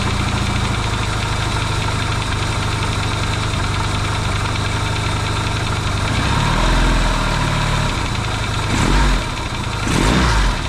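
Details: Yamaha XS650 twin, engine just reinstalled in frame after work to cure oil burning, first start: steady even idle with a few clean throttle blips, quiet with no pinging or banging; smoking, which owner hopes is break-in. Normal idle.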